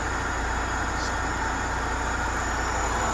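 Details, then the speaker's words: 1996 BMW E36 318ti with supercharged M44 engine: smooth even idle with faint steady supercharger whine, no stumble or miss, doesn't smoke; healthy engine. "Looks good. Supercharger sounds nice. Engine idles really nice and smooth."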